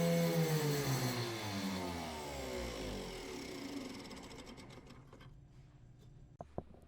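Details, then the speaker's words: Homemade hand-wound axial flux motor of about 1000 W on a VESC capped near 70 A, speed limit lifted above about 6,000 RPM: a high whine sinks steadily as the motor coasts down, then sharp clacks as a rotor magnet has flown off; the magnets need re-epoxying. "And also spinning it super fast eventually made a magnet fly off, and you'll hear that in this clip. So I would need to go back and re-epoxy the rotor in, or sorry, the magnets in the rotor."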